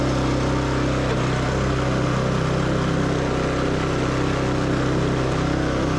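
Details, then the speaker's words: Yamaha YS624T snow blower after starter repair and carb cleaning, throttle pinned, should rev about 4000 rpm (not yet confirmed with tach): constant high speed with no hunting or misses; normal full-throttle running. "Supposed to rev at 4 Gs. I'll have to put a tack on it to confirm, but it sounds like it is."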